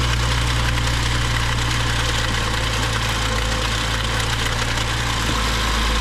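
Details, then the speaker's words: BMW 535xi M Sport with a rebuilt engine, about 2,500 miles after the rebuild, rattling more along with a drivetrain malfunction warning: fast, uneven rattle-knock about three per second at idle. VANOS screens show no metal shavings; lifters are suspected, not confirmed. "halfway going into Chicago and started to get the driet TR malfunction and it started to Rattle a lot more you guys were able to hear that"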